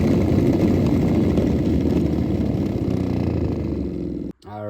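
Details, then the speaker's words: 2013 Ford F-150 blower motor, heard in place with the fan switched on: steady loud whirring rattle with a quick tick about four times a second; bearing or motor assembly is loose, broken piece found inside, being replaced. "So I figured out that the bearing or the motor assembly is loose."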